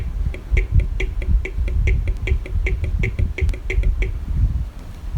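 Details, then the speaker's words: Honda CD 70 motorcycle horn: thin raspy buzzing bursts instead of full blare though current reaches it; contact adjustment screw out of adjustment, fixed by adjusting with a screwdriver rather than replacing. "अगर ये आपके bike में ये problem आए, ठीक है, आपका horn इस तरह की आवाज़ दे रहा हो, तो आपने नया हॉर्न मार्केट से ला के नहीं लगाना। आपने सिंपली इसकी एडजस्टमेंट करनी होती है।"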